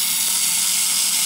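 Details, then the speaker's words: Repaired Model T buzz coil after point adjustment, run on a 6 V sealed lead-acid battery through quick leads and a homemade bench jig: a bright, steady high buzz with no stutter and a spark, so the coil now works properly. "spark that we're getting now off of this off this coil again this is only six volts"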